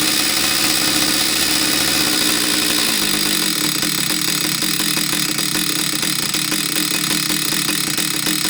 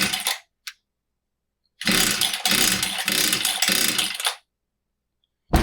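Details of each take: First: Husqvarna 66 chainsaw after a no-start fix, where the crankcase impulse signal was not driving the fuel pump: a steady, high, buzzy two-stroke note with no stumbling or dropouts. Normal running. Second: Husqvarna 66 chainsaw that won't start: fresh fuel and a new filter, but the cylinder stays dry. After priming, quick cord pulls give sputtering pops that almost catch, so spark is fine and it is fuel-starved; the impulse port or carburetor is suspected.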